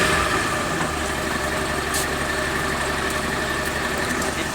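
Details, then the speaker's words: Suzuki Mehran with a no-start problem traced to the fuel pump, after the pump was repaired and the pipe refitted: starts and settles into a smooth, steady idle with even firing, no misses; normal idle. "बेहतरीन अब काम दे रही है। ये देखें, अब कोई मिस्टेक नहीं है इसके अंदर।"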